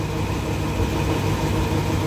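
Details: Lexi scooter idling after worn camshaft bearing replacement: steady even low hum with no rough knocking or grinding; engine smooth again.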